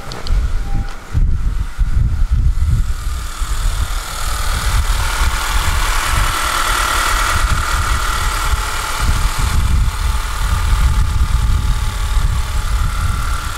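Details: Daily driver idling right after valve cover gasket and spark plug replacement, started to check for leaks: steady idle with a fairly even low thrum, no ticking or knocking; engine runs smooth and healthy.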